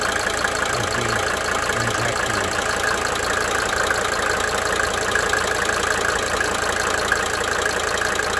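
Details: 1992 Mercedes-Benz 300D 2.5 turbo diesel idling: light cyclic ticking, roughly three per second, coming and going over the clatter; injector ticking.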